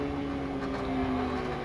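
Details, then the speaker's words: Homemade laser cutter (3.5 W / 3500 mW diode laser, RAMPS 1.4 TTL control) during final cut of a vinyl sticker: steady mid hum with faint rattle as the gantry moves; machine vibrates and its bearings are noisy, needing optimization. "Donc ma machine elle vibrote un petit peu. C'est pour ça que ça fait du bruit, normalement c'est pas censé en faire. Le prochain travail d'optimisation de la machine à faire pour que les roulements fassent pas de bruit, que ce soit fluide."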